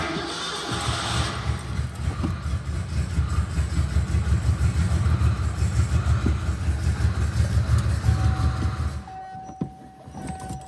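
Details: Ford Bronco II engine running with an O2 sensor just installed and leaking valve cover gaskets: lumpy, uneven rumble at about three beats a second before it shuts off; running rough, owner suspects partly a fuel leak.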